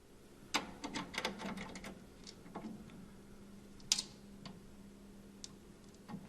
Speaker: these are seated drum head sounds not epoxy crackling the popping is the drum head catching and dragging across the bearing Edge as it's tightened